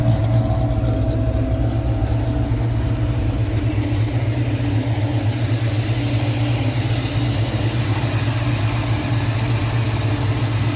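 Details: 1989 Ford Mustang with a 351 Windsor V8 after idling a while, not yet at 180°, oil pressure just over 50, AFR about 13.2–13.5: smooth, deep, steady V8 idle with no misses, ticks or knocks; normal warmed-up idle.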